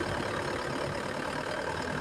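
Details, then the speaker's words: Isuzu Panther 2.5 diesel after AC compressor pulley bearing and centerpiece repair, AC on, throttle raised: steady diesel clatter, no squeal, growl or grinding from the belt side; normal when revved. "ini kita gas saja ini Nah kalau digas itu normal ya"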